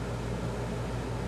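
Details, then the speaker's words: Dometic RV air conditioner after relay board swap (compressor had been stuck on), running about 10 minutes and cooling: even steady hum, low compressor drone and smooth fan rush, no rattles or cycling; running normally. "okay it's been running for about 10 minutes nice and cold everything seems perfect"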